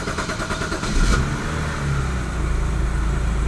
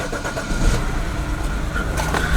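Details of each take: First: BMW N52 inline-six after swapping in a replacement fuel injector for the misfire, codes erased: engine catches and rises to a steady, even idle drone, no longer shaky; running smoothly. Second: BMW N52 inline-six, just started after code clearing: engine catches into an uneven, stumbling idle with lumpy low beats; scanner then shows cylinder 1 misfire, traced to a faulty fuel injector.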